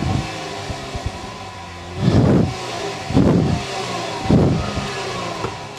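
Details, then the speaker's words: 2016 Jeep Wrangler Rubicon AEV Edition V6 (Pentastar) on stock exhaust before Magnaflow upgrade, mic by the tailpipe: three throttle blips returning to idle, raspy but even note likened to a wheezing minivan; normal engine. "I've heard Cuisinart sound better I'm sorry but that's the one thing about the pedestar it always sounds like it's a wheezing hyena it just it always sounds like a minivan"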